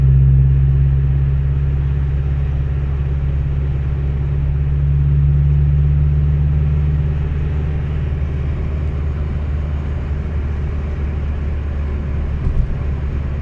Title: bruit moteur à l'accélération